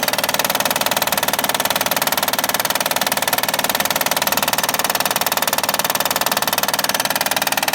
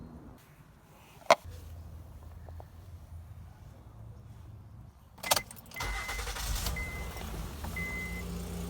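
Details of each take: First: 2011 Honda Accord 3.5 L V6 at idle with a sharp, very even knock around two per second over the idle, typical of a failing timing belt tensioner; fixed by replacing the timing belt tensioner. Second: 2011 Honda Accord 3.5 L V6 after replacing the timing belt tensioner that caused a loud knocking: brief starter whir, the engine catches and settles into a smooth, even idle with no knocking.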